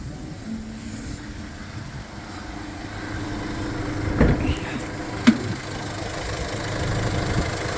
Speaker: гума бачите 100% чисто гарно працює автомобіль Ніяких нарікань немає